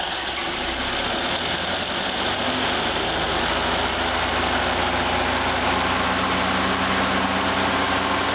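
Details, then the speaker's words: Freshly rebuilt stock Ford Model A engine (NOS Tilly carb, FSI Zipper distributor, Bill Stipe B 330 cam, matched DMC crank and timing gear) on a stand, throttle given a little juice: revs build smoothly from idle, even note, no knocks, very little vibration; normal acceleration. "There's the Model A down there waiting for its fresh engine. Alright, sounds good. And very little vibration."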